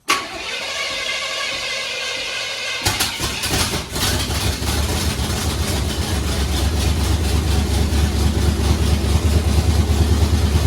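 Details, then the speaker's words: Supercharged V8 just swapped into a Blazer, first start after resetting a distributor knocked out of time when the engine was turned while torquing converter bolts: cranks, fires and settles into a loud, fairly even idle; timing may still need adjusting. "Might need some more ignition. might need less, but at least it starts."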